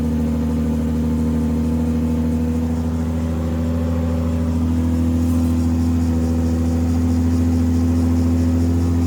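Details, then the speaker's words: Freshly rebuilt 2JZ in a KE70 Corolla, after reconnecting unplugged injectors: strong, even engine note climbing smoothly on revs with no misfire or knock; running properly. "It's alive. Thank you. Stoked. Sometimes your hard work pays off."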